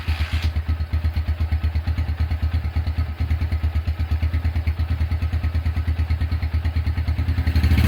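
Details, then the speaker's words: Honda Tiger single-cylinder engine after restoration, first start, broken exhaust bolt repaired and starter cable replaced: crisp, regular exhaust pulses about three per second, rising slightly at the end, no clatter; runs smooth as hoped. "oke itu dia eh hasil suara atau hasil menyalakan suara mesin Honda Tiger dan sesuai harapan suara mesinnya halus"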